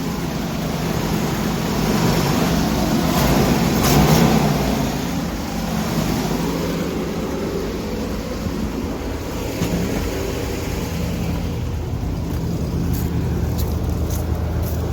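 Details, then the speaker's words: 1988 Winnebago Superchief, Chevy P30 with 454 big block V8, just jump-started on a new battery: steady deep even idle with no stumbles; runs well, though a tick was noticed afterward. "oh yeah she runs well she runs very well for sure"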